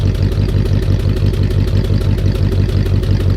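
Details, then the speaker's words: Abandoned 1959 Dodge Coronet V8 at idle: lumpy idle with a steady low tut-tut about three times a second from one bank while the other sounds smooth. Suspected misfire on that side despite a fully new ignition (plugs, wires, cap, rotor, points). "Do you hear a misfire? It sounds like this side is running smooth, but I hear a tut tut tut tut tut tut tut tut."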